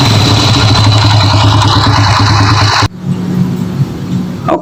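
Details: Honda Grand engine brought in for rough internal noise, not yet opened; runs about three seconds with a coarse, uneven clatter over the beat, then shuts off; cause unconfirmed, customer supplied replacement internal parts.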